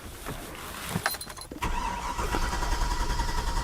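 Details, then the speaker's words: Chevy 6.0L V8 truck that died on a test drive, intermittent no-start: injection pulse present but no spark, and the battery is weakening. After key clicks the starter turns it at a steady churn with a faint whine, no firing. "doesn't even want to try to start all right i want to redo this spark test can you sit here and crank it for me and i'll look"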